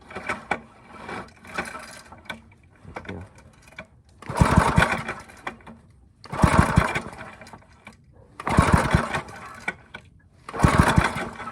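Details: Briggs and Stratton I/C 5hp with pulsa jet carburetor, test run after non-thorough cleaning and reassembly: repeated pull-cord cranks about every two seconds, each a short chugging burst that dies without catching; cranks but no start.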